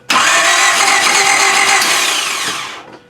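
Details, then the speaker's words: 1995 Honda Civic EG with spark confirmed, tried after pumping at the fuel rail/filter: about three seconds of steady, hissy starter whir, never catches, then silence; cranks, no start, lack of fuel suspected but not confirmed. "I think that's gas, man. I don't think you're getting fuel."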